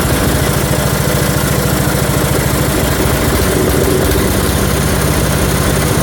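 A single-cylinder engine thumps along at a steady low idle, firing evenly without stumbling; it runs fine.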